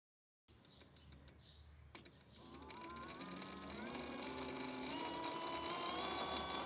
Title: Bbs02 strange noise 2